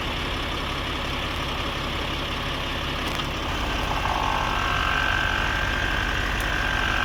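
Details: Audi Q7 idling just after replacing the air suspension compressor and valve block: steady, unbroken buzzing compressor hum under the engine as the front rises slowly; the compressor runs smoothly and sounds healthy.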